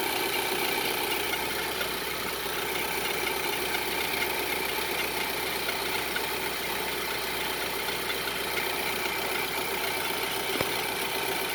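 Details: 2011–2012 Infiniti QX56 V8 at cold start and idle: loud steady whistle over a busy, faintly rattling engine from a loose timing chain, easing when warm but heard under acceleration and above about 3000 rpm.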